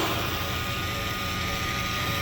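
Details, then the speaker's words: 2021 Chevy Tahoe, 55,000 miles, original brakes, rear parking brake put into service mode with a dealer-level scan tool: a steady whirring electric motor with a thin, even whine for a couple of seconds. Parking brake actuators retracting normally. "So to begin, you need to put the wheel brakes, the wheel parking brake in service mode. So you need a skin tool to do that, but I have the dealer level skin tool on it. And you're gonna hear the parking brake going."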